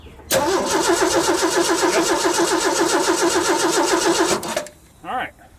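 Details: Roughly 40-year-old Ford: steady starter cranking at about four beats a second for about four seconds, engine never catches; crank no start.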